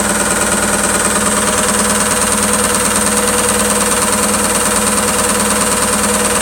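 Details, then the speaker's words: ISE W1607W washing machine on high spin: fast spin with continuous rhythmic banging and rattle about two hits a second, likely the drum casing hitting something; noise disappears at a certain spin rate. "It's basically banging against something. Well, the only thing that's going on is the drum is spinning inside the outer drum, but I think the whole casing's hitting against something."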